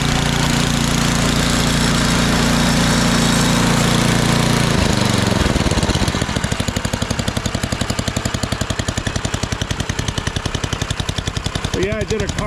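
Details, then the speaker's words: Ariens snowblower, cold start after sitting overnight: a steady drone gives way to an even single-cylinder putter with no misses or knocking. Runs perfectly and the drives are smooth. "this thing runs perfectly and all all the drives work nice and smooth here very smooth"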